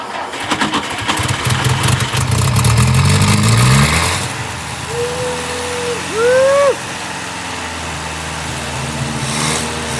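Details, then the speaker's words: 1959 Ford Taunus 17M carburetted engine, first start in the USA: rough churning crank for about four seconds, fuel leaking from carbs, then catches and settles into a quiet, steady idle. "he's alive oh my god i like it it's actually quiet that's great it really does sounds fabulous"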